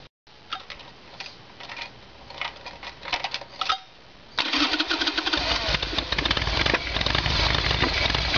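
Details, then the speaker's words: Evolution Sportster V-twin clicks, then fires and runs rough, stuttering and backfiring from fuel starvation. The fuel line from the petcock is empty and hardly any fuel gets through; it is a carburetor problem. "ideos was a little bit like running out of fuel the way that a bike behaves and carries on and backfires and stutters well that's what happens when it's running out of fuel there's no fuel there in the fuel line"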